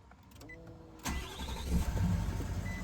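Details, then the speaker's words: 2018 Nissan Titan XD with a Cummins diesel, after dealership repair of a recurring no-start where the starter clicked but would not turn. Now the starter spins hard and the engine catches into a steady low rumble: a strong, normal start. "I don't know if you can tell I don't know how well the audio picks it up on this video but that starter now has some force behind it this truck has never started so good since I got this vehicle"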